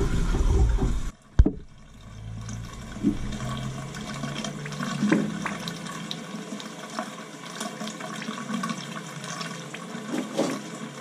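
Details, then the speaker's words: Crown boiler hot-water heating system with no-heat call, purging the second zone with hose into bucket: steady rushing water with crackling and spitting as trapped air is forced out; air in hot-water heating zone. "so [Music] let's get the area all that noise is air all crackling now"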